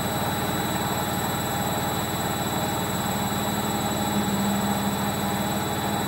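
Constant deep rumbling roar with steady high whines during fast spin; worn drum bearings.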